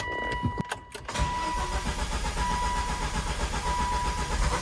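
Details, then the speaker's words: Manual 2005 Volvo V70R, long-sitting, first test start after refilling fluids with new fuel filter; starter cranks steadily but it never fires, fuel filter needs priming. "is hopefully new fuel filter woes. Gotta prime that fuel filter, hang on."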